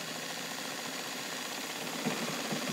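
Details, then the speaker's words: Fully overhauled and restored all-steel Morse Fotomatic IV zigzag sewing machine by Toyota, with a size 16 needle, straight stitching on a patio table: light quick even whirring and ticking, no clunks or binding, running smoothly. "And come down, and I'll make one more run here so you can see it, and I'll do straight stitching."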